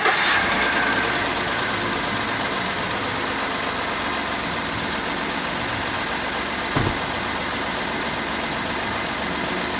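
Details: Ford F-150 just after fitting a new battery (old one cranking slowly, low state of charge in the mornings): quick catch at the start, then a smooth, even idle with a steady hum; starts and runs cleanly.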